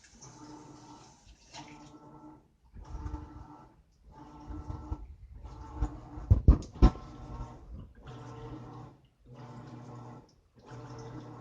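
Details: Brand-new Whirlpool high-efficiency top-load washer WTW4715EW, installed a day earlier: loud blender-like whirring bursts about every 1.3 s with short gaps, lasting the whole 30+ minute wash cycle; technician called it normal, owner doubts.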